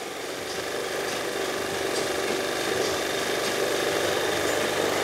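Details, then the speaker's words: Scooter carburetor idle screw turned up: fast, steady buzzing idle creeping higher, set high enough that the rear wheel spins on its own; rider's weight would hold it in place. "this is idling kind of high right now but if I'm sitting on it it's not gonna go anywhere because my body weight the weight of the scooter is going to be holding it down in place"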